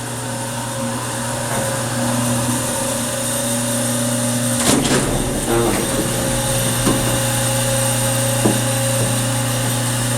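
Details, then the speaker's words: Hydraulic elevator that sat cold all night, early morning, recorded in the cab: steady low electric motor hum with a few clunks, plus something in the pit switching on while leveling at the second floor; source unclear, suspected sump pump. "what is that sound listen to this motor damn this thing has a loud motor"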